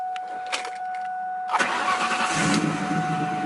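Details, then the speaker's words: First start after a new alternator install, in neutral, after an anti-theft reset: a steady chime, a short crank of about 1.5 seconds, then the engine catches cleanly into an even idle. Healthy, normal start. "Yes, sir! We're gonna let this thing warm up and then we're gonna drive it."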